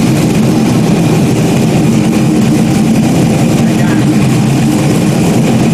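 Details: Stock-block 5.3 V8 race car just rebuilt after almost a year, idling after its first start: deep, even burble holding steady with no knocks or misses. Smooth, healthy normal idle.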